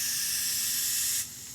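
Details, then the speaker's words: DIY boost leak test of an intercooler, 3-inch pipe caps on the outlets, pressurized to about 20 psi: a steady sharp hiss of escaping air that eases off. Small leak at the cap, but it holds boost fairly well. "there is some leak over here and i can hear it leaking from here it's not like super airtight but you can see it's holding the boost pretty good"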